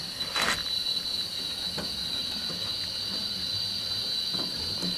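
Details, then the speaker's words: 1156F quick-fill water pressure regulator on a boiler after disassembling and cleaning rust off the diaphragm: steady high hiss of water with constant thin tone, no chatter or surging, tapering off as valve closes; fixed. "turn the valve off here you'll hear it taper off the flow of water nice fixed it"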